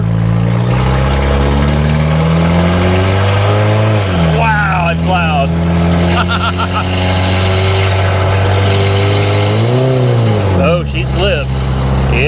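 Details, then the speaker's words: Automatic on its first road drive, about 35 mph: engine pitch flares suddenly without matching pull, then drops as the gear catches; transmission slipping under acceleration, owner suspects low fluid, no dipstick found, unconfirmed. "she slipped we're doing 35 now am i concerned about the slippage not really man not really i'm not overly concerned about the slipping transmission because we don't have a dipstick it could just be low on fluid"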